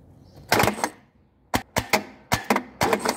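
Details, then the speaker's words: Fiat Premio 1991 starter with positive jumped to terminal 50: sharp dry tec-tec clicks in quick bursts, with no motor spin or cranking. Faulty starter solenoid. "Ó, então ele só deu o tec-tec ali quando eu encosto o positivo, né?"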